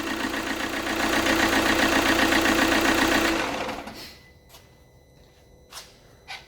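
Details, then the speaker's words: Alfa Romeo Giulietta diesel after rebuild (two broken rockers), briefly run without coolant: runs evenly with a steady regular beat then shuts off cleanly; feared low compression not present, normal running. "is a relief I was worried that too low compression on the engine but I wouldn't have thought that would have happened with only two broken rockers"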